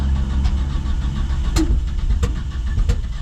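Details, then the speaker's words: 1977 Datsun 620 pickup, suddenly after running smooth: uneven running broken by sharp pops every half to one second, backfiring real bad; owner suspects jumped ignition timing, also notes poor-looking fuel in an aftermarket fuel filter. "Just started backfiring real bad."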